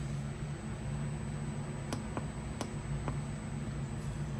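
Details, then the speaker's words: Iceco VL60 portable fridge, second unit (replacement for a damaged one), plugged in for the first time: steady low hum with faint even drone and a couple of light clicks; compressor comes on and runs normally. "I hear the compressor is on. We have lights inside. So, it does come on."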